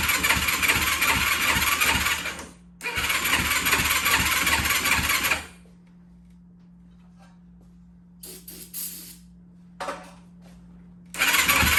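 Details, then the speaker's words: 2004 Yamaha YFZ450 quad showing zero compression on the gauge, brake cleaner sprayed into the intake: two long bursts of fast, uneven cranking chuffs catching only briefly; won't keep running, cause unresolved. "so if we just need a carburetor clean we should just be able to spray this brake clean in like that and start it up"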